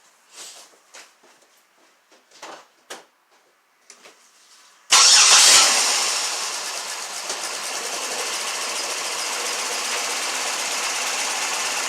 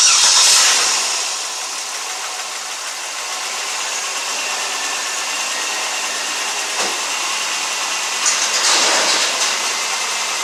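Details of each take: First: Pontiac Grand Prix 3800 V6, automatic, P0300 misfires on cylinders 2 and 5: cranks, catches, then idles with an uneven stumbling beat; swapping coils moved the misfire to cylinders 1 and 4, confirming a bad ignition coil. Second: Pontiac Grand Prix 3800 V6, automatic, after a P0300 misfire repair (purge valve found stuck open): cranks, catches and settles to a steady, even idle; misfires on cylinders 1, 2, 4 and 5 no longer present.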